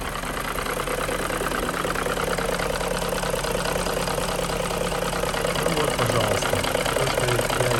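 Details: BMW M62B35 V8 warm idle after VANOS units were restored and possibly installed incorrectly: steady rattling knock about two beats a second over the rumble; VANOS knocking.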